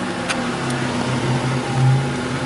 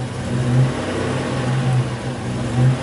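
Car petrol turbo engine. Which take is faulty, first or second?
second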